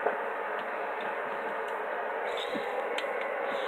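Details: DX-394 HF receiver on 20 m picking up interference from a nearby Uniden BC365CRS scanner, noisy whether the scanner is on or off, with or without external antenna: steady rushing hiss with faint ticks, no signal underneath.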